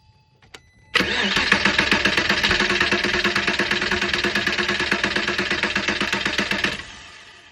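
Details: 2001 Porsche Boxster 986 with rough idle/no-start: engine cranks and catches at once, then runs unevenly with a lumpy, wavering beat before shutting off; fuel rail pressure measured about 20 psi versus expected 58–60, failing fuel pump, replacement pump and filter planned.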